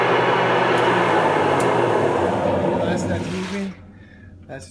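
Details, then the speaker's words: Huebsch coin-operated washer, after a burnt belt was replaced because it wouldn't spin: a loud, harsh roar with a rapid steady throb of about four a second that dies away as the drum slows during spin; the owner wonders if it is a bearing, not confirmed. "crazy so if anybody can kind of helped me out is that a bearing issue"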